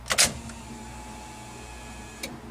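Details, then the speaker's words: Turbo V6 Dodge Dakota with MegaSquirt ECU newly installed and wired for power and ground: sharp click at key-on, then a faint steady electric whir as the fuel pump primes normally. "guys can hear the fuel pump prime and that is because the mega squirt is in and it's got power and ground running to it and it is functioning"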